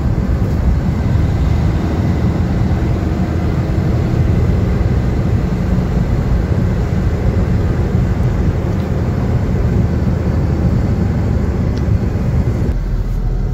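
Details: Maruti Swift (2010) road test after full suspension kit replacement with new original parts; smooth, even road rumble at steady speed with no knocks or clunks. The earlier heavy knocking from below and steering-wheel shake at speed are gone.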